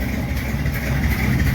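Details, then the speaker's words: '51 Chevy project V8 in about -27° cold, after fixing lifter noise (worn rocker lock nuts, pushrods/rockers): loud choppy lumpy-cam idle with uneven lope, no tick; healthy, problem solved. "the Chug the Chug the Chug the CH way way better man sounds pretty freaking good"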